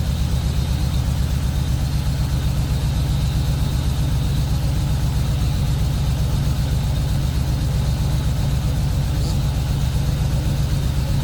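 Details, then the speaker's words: Ford BF Falcon F6 Barra engine, first start after swapping in a nicer camshaft set because the old cams were noisy; low, steady idle with an even beat, no ticks, knocks or misses; running smooth. "hey Charlotte what do you think about the car running real nice and smooth"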